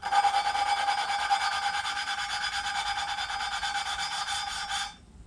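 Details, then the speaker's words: Suzuki SV650 engine rebuild, lapping a front cylinder head inlet valve seat: back-and-forth strokes about two a second, now fine and smooth instead of gritty, seat nearly lapped clean. "not really there you go you can hear it sort of clean up"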